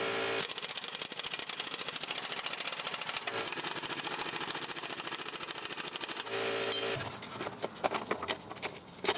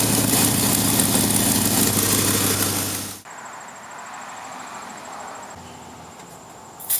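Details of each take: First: 2006 Jeep Grand Cherokee 4.7L after exhaust manifold leak repair: the manifold flanges were refastened and broken studs removed. Fast, even, fine ticking at a steady level with no puffing or tapping at the manifold; normal clean idle. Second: 2006 Jeep Grand Cherokee 4.7L V8, before repair: loud, raspy running with a steady rapid puff, then quieter; fits a suspected exhaust manifold leak, not confirmed.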